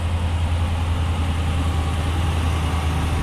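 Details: 2017 Ram 1500 5.7 Hemi, about 50,000 miles, after replacing the passenger-side exhaust manifold gasket and studs for cold-start tapping; steady, even low rumble at idle with no tapping or ticking, sounding healthy.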